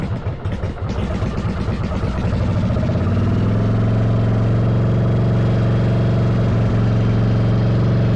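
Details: 1995 Yamaha Virago 1100 V-twin on half choke after cleaning vacuum lines and EGR-type valve: lumpy uneven beat settling to a steady loping idle; owner suspects carbs not synced, doubts timing, says it ran better.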